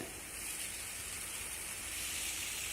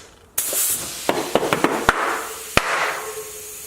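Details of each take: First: Tubeless tire just mounted on a Tuff carbon XC mountain bike wheel, beads seated with no wobble: a steady, thin, high-pitched hiss of air leaking at the bead; the fix is to shake the wheel to seal it. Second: Used tubeless mountain bike tire being inflated on a rear Tuff carbon XC wheel with sealant and soapy water: a steady rush of air with sharp pops as the beads seat, and no leak afterward.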